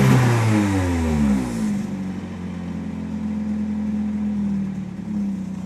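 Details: 1993 Nissan 240SX S13 with an SR20DET, started on jacks with an exhaust leak: revs drop to an uneven, lumpy, missing idle. Slight oil overfill while on jacks was later blamed, and injector cleaner fixed it.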